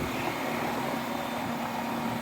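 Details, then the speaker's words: 35-year-old AC condenser after lubricating dry fan motor bearings that squeaked and cleaning the coil: steady even fan whoosh with soft constant hum, no squeak or chirp, quietest it has sounded; normal fan operation. "ack up and running and that's about as quiet as I've heard it"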